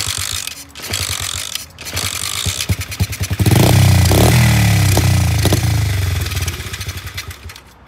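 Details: SSR 70 pit bike with a possibly clogged carburetor, kick-started after a dose of starting fluid: repeated kicks with chuffing compression, then seconds of ragged, uneven popping as it catches briefly before dying. Hard starting.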